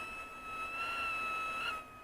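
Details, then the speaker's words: Sony Captain 55 ICF-5500M radio on external 3-volt centre-positive supply: thin steady high-pitched whistle over faint hiss; suspected high-resistance negative feedback capacitor or switch-mode supply, unconfirmed; radio whistle. "that's three volts still got the whistle though you can hear that"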